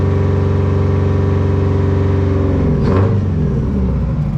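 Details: 1980 Peterbilt 359 Detroit two-stroke diesel, steady rumble with even pulses after the fix; fan whir dies away and a short air-pressure hiss follows; normal running.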